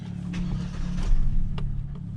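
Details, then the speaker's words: Car no-start: after fuel pump was heard working, engine briefly catches with a swelling low rumble then sags and dies within two seconds; mechanic suspects the fuel pump, unconfirmed. "It just tries to go and dies."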